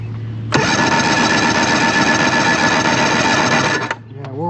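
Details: 1993 Evinrude 90 HP V4 two-stroke outboard during a compression check: strong, even cranking for about three seconds with no stumbling or uneven strokes; normal compression on every cylinder.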